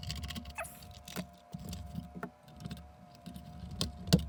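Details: Xbox One S cooling fan, opened and powered up, dusty: quiet fan hum with faint steady tone and irregular light ticks and taps; fan ticking, cause unknown.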